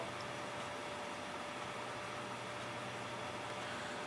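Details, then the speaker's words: Clicking failed hard drive fitted with a donor board from a different drive powers on with a steady spin-up hum and faint tone, no clicking, but no head seek sounds, and it does not mount. "but I don't hear the hard drive ahead is not seeking"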